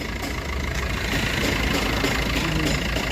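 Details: Maruti Ciaz after replacing the leaking clutch release bearing and changing the oil, filters, gear oil and coolant; steady even diesel clatter at idle with no extra knocks, whine or grinding; normal idle.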